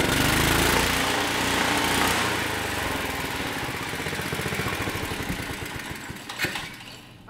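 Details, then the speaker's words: Tecumseh 6.5 hp go-kart engine at high rpm under hand throttle: screams but won't climb further, then drops off with pops spitting back through the carburetor; owner suspects valve float from weak valve springs, not confirmed. "it spitting back through the carburetor i think it's got valve float so it's just the valve springs just that bad"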